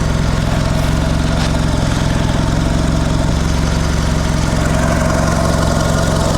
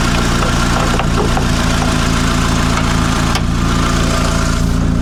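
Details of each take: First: Mitsubishi Lancer CE two-door coupe, first start after reassembly and battery reconnection: low idle with an uneven, lumpy pulse, seeming rougher than before; owner unsure if improved, wonders about more airflow. Rough idle. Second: Mitsubishi Lancer CE two-door coupe after repairs: even, steady petrol idle with no hunting or misfire beats; fast idle settles down, sounding much better. Normal idle and revving.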